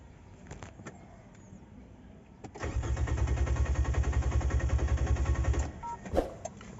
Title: NISSAN ALMERA 2019 CRANK NO START AYAW UMANDAR ANO KAYA ANG NAGING PROBLEMA